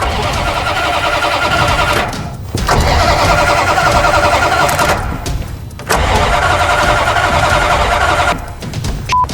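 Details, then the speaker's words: Dodge Ramcharger revived after sitting 20 years, rebuilt fuel tank and new fuel pump running; starter cranks in repeated bursts with pauses, never catching, because the distributor cap was left off, so no spark. "Okay, hindsight 2022 here. When you go to start a vehicle, make sure you put the distributor cap on it so sparks"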